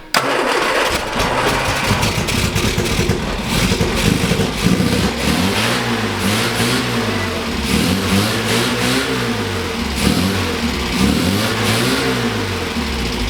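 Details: 1967 MGB GT, sat unused, with Pertronix igniter, sputters to life after cranking and runs with repeated rising and falling revs; engine starts and runs.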